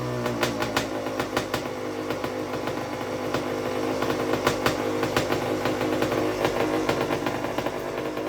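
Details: 1991 Honda CR80, 80cc two-stroke, first run after repacking the exhaust silencer: crisp idle popping unevenly about three times a second, sharp ringing exhaust bark, nothing knocking or rattling; healthy repacked silencer.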